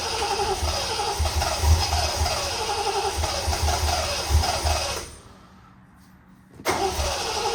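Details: Triumph TR6 after cleaning and regapping plugs, fuel system primed but no pump resistance felt: starter churns evenly about three pulses a second, pauses, resumes, engine never fires. Cranks but won't start, cause unconfirmed.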